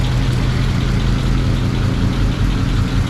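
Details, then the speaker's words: 1937 Ford panel truck, old V8 started on a low battery after sitting, slightly smoky and thought to run a little rich, good oil pressure: steady, even low rumble at idle with no knocks or misses; normal idle. "She's a little smoky. I think this thing runs a little rich, actually. Sounds good though. It turns nicely."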